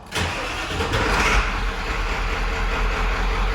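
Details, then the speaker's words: OBS 7.3 diesel with an intermittent crank starts after the wait-to-start light and battery terminals cleaned with CRC cleaner: a short crank catches right up on the first try and settles to a steady, even idle; owner suspects battery corrosion. "right up on the first try so might not possibly be that terminal"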